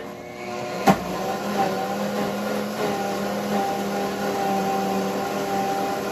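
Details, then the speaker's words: WantJoin commercial blender blending thick hummus on smoothie mode under the soundproof shield: a click, then a muffled steady hum with no strain or rattle; running smoothly. "we are going to turn it on power on now let's see what do we want to do we want to put it on probably more of like a smoothie and then start is looking so good"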